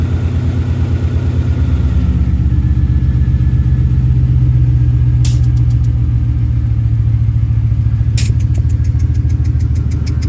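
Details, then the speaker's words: LT1 V8 swapped into Mazda B4000 idles with uneven loping beat and sharp ticks; running the same with cylinder eight disconnected, low running compression, a dead cylinder from a stuck injector, not valve-related. "but it sounds like it's running almost the exact same with this disconnected"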